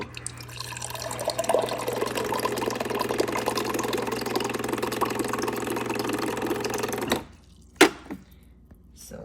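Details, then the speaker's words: Whirlpool WRF757SDHZ02 refrigerator bought July 2021, a few months old, water dispenser running: loud rushing, gurgling flow for about seven seconds cutting off sharply on release; noisy water dispenser. "the water dispenser makes a lot of noise just listen to this"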